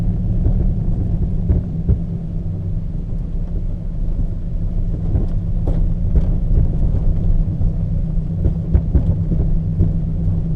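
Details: Peugeot 206 while driving: irregular dull clunks and knocks over heavy road rumble, first suspected to be in the front suspension, later found to be worn engine mountings.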